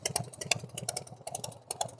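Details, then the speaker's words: 1990 Harley Fatboy with S&S Super E carb, hot idle with light fast ticking over the lumpy twin beat; valve train noise only when hot, lifters already replaced, owner hopes noisy rocker arms. "Sounds fairly smooth to me. Maybe use idling a little higher. Can hear some valve train noise. I'm hoping it's the rocker arms because I replaced lifters already."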